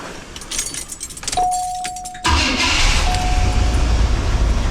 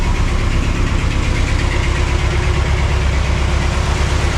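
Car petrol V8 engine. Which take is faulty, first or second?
second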